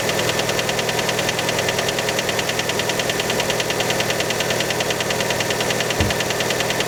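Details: Fiat Panda engine right after a cold start: sharp, even ticking knock at roughly 200 a minute over the idle, steady throughout; cause unconfirmed, many suspect piston skirt.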